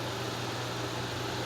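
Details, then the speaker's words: Restored 1950s Wizard 6JC2418 hassock fan, transformer repaired, on high speed: steady low hum with soft even whoosh, very quiet, no grinding, rattling or bearing noise; normal running. "very quiet. It's putting out a really, really smooth breeze. You're not hearing a whole lot of bearing noise or rattling or grinding, just as we did before."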